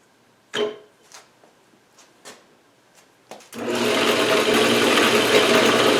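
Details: Atlas horizontal milling machine reassembled after two years apart in a shed, with gib adjusted, rewired, belts refitted and oiled. After a few clicks it spins up to a steady, even whir with a light mechanical rattle, which the owner plans to fix; runs normally.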